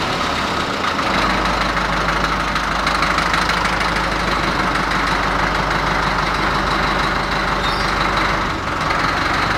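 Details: Deutz F4L514 air-cooled four-cylinder diesel, under repair of cylinders and cylinder heads: steady, even clatter at a constant idle with no misses or odd knocks; healthy running.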